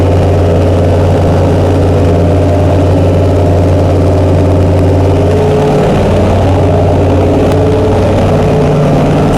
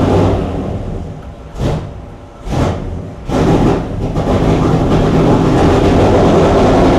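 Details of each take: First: Chrysler 440 Six Pack V8 with triple two-barrel carburettors, after replacing a damaged centre-carb gasket beside the power valve: steady, even low rumble settling to a slightly different speed partway through; smooth, healthy idle. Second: Chrysler 440 Six Pack (triple two-barrel carbs, freshly rebuilt) V8 at lumpy, choppy fast idle with uneven pulses before warm-up; water-bottle exhaust check finds two cold pipes each side, four cylinders not firing, running rich; carb cause unconfirmed.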